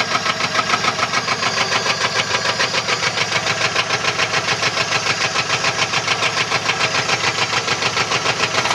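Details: 1994 Chevrolet LT1 V8 at idle: sharp steady knock about three to four times a second; rod knock from a bent connecting rod.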